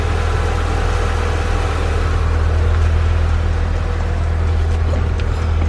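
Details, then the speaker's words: Honda Accord CB7 idling just after starting with a newly installed JDi push-button start kit: steady, even low rumble with a smooth unbroken beat, no knocks or misses; normal idle. "Alright, as you can see, the car is started. All from that little button right down there."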